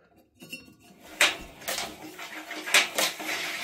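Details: Bosch washing machine that suddenly stopped spinning, with its belt off and the rear cover removed. Turning the drum slowly by hand gives irregular sharp metallic clinks and scrapes from a metal foreign object trapped between the tub and drum.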